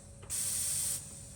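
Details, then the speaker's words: Turbocharged engine with intake sealed by a timber plug at the air-filter inlet and pressurised through a tyre valve: a sharp, steady hiss from one direction, a slow boost leak, heard as air escaping from a split intercooler hose. "i can hear a slow leak coming from this direction here"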